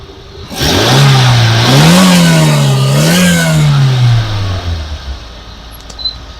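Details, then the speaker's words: 2011 Maruti SX4 VXi petrol, engine bay, engine well maintained: clean rev rises and falls twice, then an even idle with no knocks; smooth, healthy idle and revving. "Smooth ಆಗಿದೆ engine ಗೊತ್ತಾಗಲ್ಲ running ಇದೆ ಅಂತ ಅಷ್ಟು smooth ಆಗಿದೆ smooth ಆಗಿ maintain ಮಾಡಿದ್ದಾರೆ"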